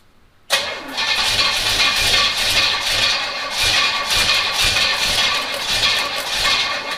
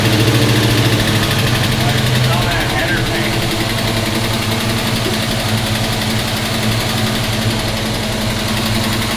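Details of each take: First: 1971 Pontiac GTO, first start in 5+ years with a brand-new fuel pump, new gas tank and empty half-inch fuel line, timing set roughly at zero: starter cranks on and on and never catches; slow to start. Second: 1971 Pontiac GTO first start in 5+ years, new gas tank: deep, steady V8 idle with an even beat, no knocks or misses, settling slightly quieter after a few seconds; 60–70 psi oil pressure. Normal idle.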